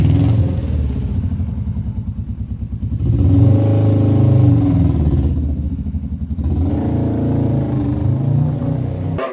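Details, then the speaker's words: Suzuki motorcycle running cleanly through rising and falling revs with the choke on, which should not happen, suggesting a lean mixture; it later ran fine at quarter and full throttle, and the owner thinks the needle needs raising. "so at the moment it's still quite happy with the choke on which is not a good sign"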